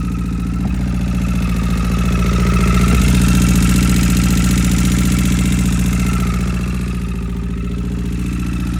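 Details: 2009 Honda CBR1000RR just after replacing rod and journal bearings: at idle a steady whine with a fast tick around four per second, plus frequent backfiring pops; cause not pinned down.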